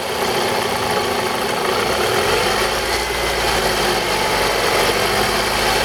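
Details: 2002 Toyota RAV4 engine: idle with dull, faint tapping under a loud, even rush of noise; engine knock, owner suspects the VVT-i coupling, unconfirmed.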